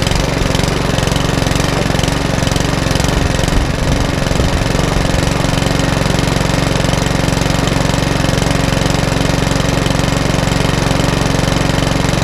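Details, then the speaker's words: Mountfield HP164 lawnmower that kept cutting out, after cleaning, on a 10–15 minute test run: small engine holds a steady, regular beat with no surging or dropouts; the hunting has settled down and it runs as it should. "okay it's about little Mountford Walmart is now up and running exactly how it should do I give up the 15 10 15 minute test and the hunting has settled right down all together"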